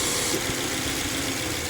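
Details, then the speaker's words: Subaru XV 2.0i after repair of noisy AC compressor (clutch set replaced, compressor oil changed, system flushed), idling parked in sun, cabin 6°C vs 39°C outside: steady idle with airy fan rush, no compressor groan or rattle; normal AC compressor operation. "ตอนนี้ช่างก็จัดการแก้ไขปัญหาให้เรียบร้อยนะคะเสียงการทำงานของคอมแอร์ก็ไม่ดังเหมือนตอนก่อนซ่อมนะคะ"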